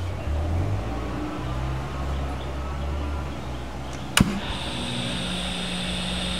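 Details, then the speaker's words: Roughly 30-year-old Roland JC120 guitar amp, low channel, no guitar played: steady mains hum with constant hiss and buzzing coming from the amp itself, not the plugged-in instrument; suspected power issue, source not yet found. "Yep, same thing. Get that hissing sound. Hissing and buzzing. Has nothing to do with the Jaguar."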